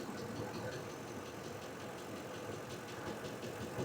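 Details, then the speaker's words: 2006 Ford F150 V8 with no-power complaint: light, quick ticking sharper than normal over a low, steady idle, like a more aggressive tap; a tapping lifter suspected, TSB for engine noise possibly applies; ticking at idle. "It sounds like the forward tap but a little more aggressive."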